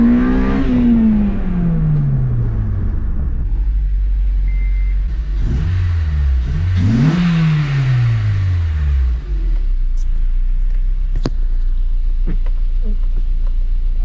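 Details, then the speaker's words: 2005 Acura RSX Type-S with long-tube headers and flex pipe delete fitted: revs climb and fall smoothly with an even, deep exhaust note, no rattle or leak puffing; normal exhaust note. "but man it sounds so much freaking better now i'm stoked"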